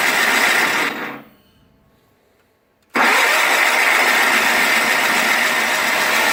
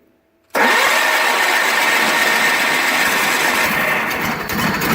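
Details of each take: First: 1985 John Deere 318 garden tractor, cold start after three months in storage with gas poured in the carb and choked: after brief silence it catches abruptly and settles into a steady, even run. A healthy start. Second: 1985 John Deere 318 garden tractor, not run in about three months since September 22, cold start with gas poured in the carb, choked and a little throttle: steady, loud cranking for several seconds without firing while fuel is drawn up the lines.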